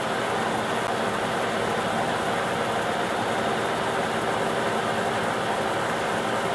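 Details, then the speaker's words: Shop-built gear hobbing head cutting first chips at a somewhat high speed. Even, steady spur-gear whir with no knocks; the earlier once-per-rev tight-spot noise is no longer heard: normal gear mesh. "it's the sound of a machine it's not too bad take it up to0 which is a little FAS for Cofe you can hear a little more it's just it's spur gear line I'm not hearing the one from Rab in there anymore"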